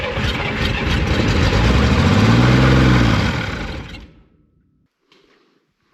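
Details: 1965 Corvair Monza with its Rochester HV carbs not yet rebuilt, primed with gas and two-cycle oil: it catches, revs briefly, then dies in about four seconds; owner thinks rebuilding the carburetors will fix it.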